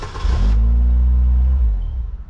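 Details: 2002 Saturn L200, crank no start with no module communication, battery on charger: engine catches with a deep rumble for about a second then dies; network still down, corroded connector suspected.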